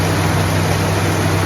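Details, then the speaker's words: 1966 Plymouth Fury III 318 V8 revived after sitting 25 years, with rebuilt carburetor and new spark plugs, after the vacuum advance line at the carburetor was pulled off. Steady, deep, even idle, no misses or knocks; running quiet and healthy. "way better sounds right now that was just down there by the carburetor pulled off the vacuum advance line whatever that deal is she's running good now very quiet good"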